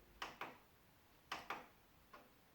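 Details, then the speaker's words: Sony hi-fi system: crisp relay clicks in quick pairs, then drops to standby when switched to tape function; cause a snapped rubber drive belt wound around the tape motor. "So if you turn it on, you can hear that clicking noise. It's somewhere over here and it'll switch off."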